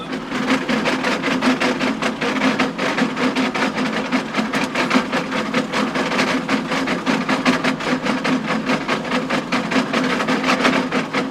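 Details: Tractor (John Deere) power harrowing in very wet, boggy conditions; fast, irregular sharp clacks over a steady tractor drone as stones strike the spinning harrow tines; stones previously broke a tine.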